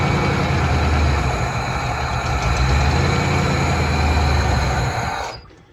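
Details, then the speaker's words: 1988 Ford F-250 EFI, sat over a decade, started by pouring fuel into intake: low even rumble, steady firing, no knocks or rattles for about five seconds, then shuts off cleanly; normal running. "Hey, it seems to run."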